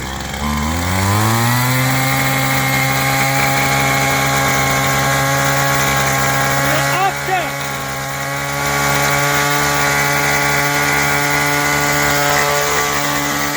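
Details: Very old WeedEater XT200 trimmer after a complete teardown and rebuild, started on full choke then half choke: the small two-stroke climbs to a steady high buzz that holds even, with one brief dip; normal running.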